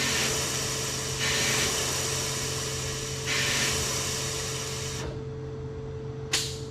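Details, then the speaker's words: 1974 Ford Bronco unstarted for over 16 years, checking fuel lines by switching valve to the auxiliary tank: steady airy hiss through the line with no liquid; line clear, tank empty of fuel. "No liquid, but I could hear that. I'm sure you guys could hear that."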